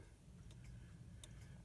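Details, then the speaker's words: Gilbert 8-day bim-bam banjo clock on test stand after repair, cleaning, assembly and adjustment, run dry 24 hours, now oiled with tension springs attached: faint even tick-tock pairs about 0.75 s apart over room hum; running well. "the clocks oiled so it's running pretty well it came out early nice"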